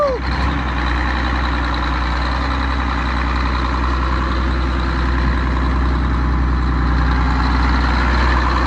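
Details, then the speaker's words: MCI MC9 bus diesel that would not start, after fitting a new gear-reduction starter said to have a soft start: brief high-pitched whine while cranking, likely from the starter gear, then a steady, even idle; normal start and idle. "well how about that huh I will take that that kind of sounded a little weird I think that was the gear I don't know I heard like a little high-pitched noise coming out of it"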